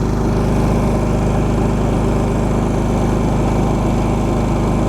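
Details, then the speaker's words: Champion 3500 W dual fuel inverter generator in eco mode running trailer TV, radio and electric fridge while charging phones and a power bank: 1.9 A, 122 V, no surge, 78–79 dB. Constant low, even drone; normal at light load. "and we're only reading 1.9 amps 122 volts there was absolutely no surge at all"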